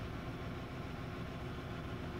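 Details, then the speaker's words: 2012 VW Jetta GL 2.0L, running rough, low power, flashing check engine light, raw fuel smell, P0300/P0301: low, uneven, lumpy idle; scan tool confirms cylinder 1 misfire, cause not yet found. "so we have already confirmed that the vehicle does have a misfire so far on the scan switch shows that is number one"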